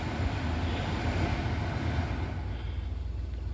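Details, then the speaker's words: 2001-2007 Toyota Sequoia front blower motor and wheel, newly replaced, on high: steady, even rush of air with no ticking or rubbing, earlier ticking gone; normal blower operation. "that's the lowest setting that's the highest I definitely don't notice the little ticking noises I was hearing before"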